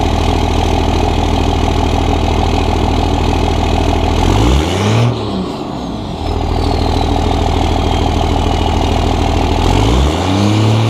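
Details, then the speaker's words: 2001 Dodge 24v Cummins diesel with HY35 turbo, after Banks cold air intake install replacing stock intake: clatter rises and falls with throttle blips, turbo whistle now more audible on throttle; healthy engine and turbo. "so for me that is a very clear noticeable difference from the stock intake to the banks coder intake with the turbo whistle"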